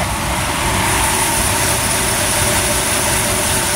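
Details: Small-block Chevy in a chassis-swapped 4x4 after heads were machined and valve springs replaced to fix a valve train noise, mild cam, possibly low on fuel: steady even idle with no top-end ticking; normal idle.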